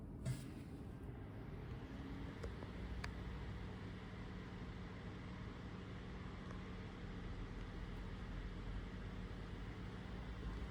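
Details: 2024 Toyota RAV4 SE in EV mode on a full battery, heater on, cold day: a loud steady drone, whirring and whine under the left side of the hood that vibrates the whole car. Heat pump blades seem to hit something; cause unconfirmed.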